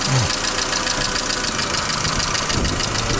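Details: Mercedes Vito W638, M111 2.3L petrol, replaced radiator; rough busy idle with faint repeating tap buried under engine noise; engine knock at idle, cause not pinned down.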